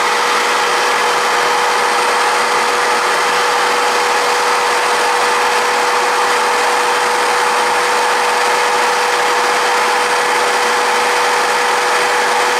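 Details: Shop vacuum used as a swarf collector on a VEVOR MR-13A drill grinder; a loud, steady roar of rushing air with a thin constant whine and no surging or rattles, pulling normally.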